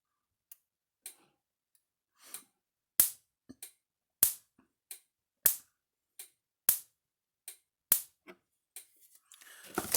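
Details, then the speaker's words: Gallagher M600 electric fence charger under repair, tested without a load and before the correct capacitor is fitted, reading about 8,000 volts: sharp, crisp snaps about once every second and a bit, strong and clean; normal, healthy spark. "Pretty healthy spark too. I need a load tester to hook up to see what it's going to read with a load."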